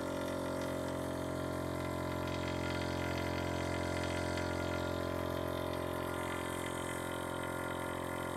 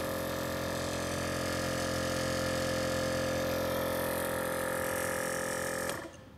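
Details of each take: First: VIAIR 444c air-ride compressor on bolt-on isolator feet: smooth, steady motor drone with a low hum and no knocking or rattling, metered at about 72 dB, similar to the 310 SS and quieter than a hard-mounted 444c; runs normally. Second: VIAIR 444c air-ride compressor hard-mounted with wood screws in a trunk: loud steady drone with a strong fixed motor hum, vibration passing into the trunk floor, metered at about 76–77 dB, much louder than the 310 SS.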